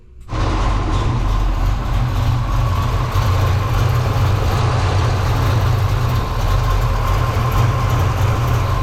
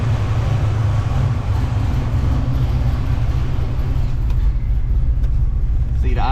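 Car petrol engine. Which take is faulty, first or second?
first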